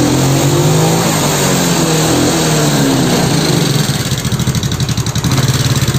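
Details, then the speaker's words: Yamaha Mio scooter with hesitant throttle, hard starting and occasional stalling: engine revs unevenly and sounds noisy; oil level and valve clearance are to be checked, cause suspected, not confirmed. "motor Mio Suaranya berisik ya jadi seperti biasa analisa nanti kita cek di bagian oli"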